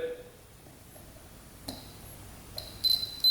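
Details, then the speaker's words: 2005 Yamaha Grizzly 660 ATV that won't power on: short high-pitched multimeter continuity beeps as each crusty-looking fuse is probed in a quiet room; all fuses test good. "All right. All fuses are good. I could hear the beep on each one."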